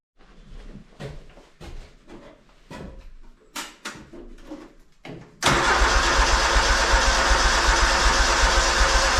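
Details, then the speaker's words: 317 lawn tractor after several days below zero; slow, labored, uneven cranking for several seconds, then a sudden loud burst, not turning over fast enough to start and unchoked too soon, so a jumper pack is needed. "now we're going to have to get the jumper pack just not turn over fast enough I thought I almost had it but I shouldn't have unchoked it that soon"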